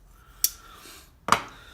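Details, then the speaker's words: Frame-lock folding knife, lock stick: two sharp, dry snaps as the lock bar binding against the lock face lets go during unlocking; dirt held by oil on the lock face is named as a main cause, and cleaning the face fixes it. "Lock stick is when the lock bar binds up against the lock face, and you can usually hear it when you're trying to unlock it."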